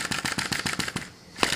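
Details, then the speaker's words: Sai Hu V1-45 flame-licker vacuum engine, fully hot, with a smaller flame: quick, even snapping beats about seven per second, a short lull, then the same beat again. It runs steadily at typical speed. "and it's running pretty well with the smaller fire this outside frame and that is not heating up as bad this is a typical speed for this engine"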